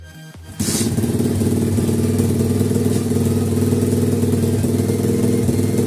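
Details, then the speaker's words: 50cc two-stroke pitbike after carburetor cleaning, mixture screw fine-tuned to the best setting. Firm, even single-cylinder idle with no hunting, popping or stalling; normal idle. "Die perfekte Gemischschraube-Einstellung gefunden. Das war jetzt wirklich eigentlich ziemlich einfach."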